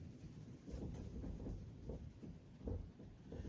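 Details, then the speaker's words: 2013 Subaru Crosstrek with a rattle on the road: dull irregular clunks as the front wheel is rocked by hand with ignition locked, about 1/4 inch of play, pointing to a worn inner tie rod. "Now I got the ignition locked, and I see I've got heavy 1/4 inch of movement and a rattle."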